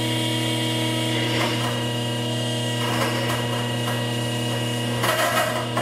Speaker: see that that's very dangerous that kind of sound is very dangerous it's going to damage the pump so that's why i had it only for one or two seconds now this is a sound that you heard is from cavitation